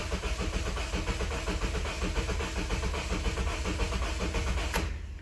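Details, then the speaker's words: 2007 Honda Civic 1.8 L four-cylinder, crank-no-start, fuel pump already replaced: starter cranks steadily without catching but with an odd, uneven rhythm; possibly one cylinder has low compression, suspected, not confirmed. "if you listen closely you can hear that there is uh an odd rhythm there sounds like it's possible that maybe one of the cylinders could have low compression"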